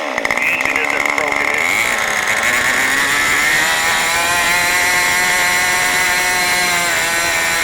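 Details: New OS 40 FSR model engine, second tank, not fully broken in, throttled down: a high buzzing idle, slightly blubbery and uneven, at about 3500 rpm instead of about 2700. The low-end mixture is way too rich and not yet adjusted.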